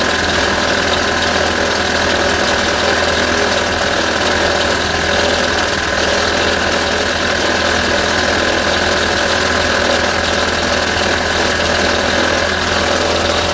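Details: 1989 Toyota Corolla engine that isn't running right: rough, uneven idle with hard metallic knocking pounding through; suspected rod knock, failed connecting rod bearing.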